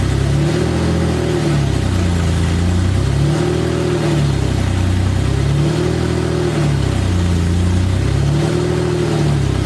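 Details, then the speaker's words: BMW E30 first start-up after installing the exhaust manifold, headers only with no exhaust system: very loud, raw engine note rising and falling in repeated revs every two or three seconds, barking straight out of open headers. "So as you can see, it's incredibly loud due to the fact that I'm running open headers. There's no exhaust on this car right now besides the headers."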